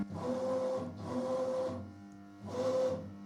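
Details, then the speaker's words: CNC milling machine after troubleshooting following errors and retuning the feed-forward values: three even jog runs, each a steady servo whine that starts and stops cleanly with no stutter or grinding; the axes move normally. "And let's try bringing Zed up. No problem whatsoever."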